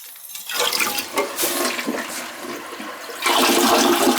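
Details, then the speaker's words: The same toilet on its third test flush with a load of paper: a strong rushing, swirling flush that drains cleanly, then the refill hiss. It flushes properly, and the toilet is working fine. "you're making up stuff that don't that's that don't that's not a problem on the toilet it's working fine"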